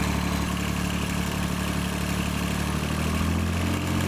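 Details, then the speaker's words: John Deere 755 compact tractor, Yanmar 3TN three-cylinder diesel, first start after a full rebuild: steady low idle with even beat and light clatter, only interference from a shield and other stuff rattling. Normal idle. "that sounds way better already there just an interference from that Shield everything else is just stuff rattling"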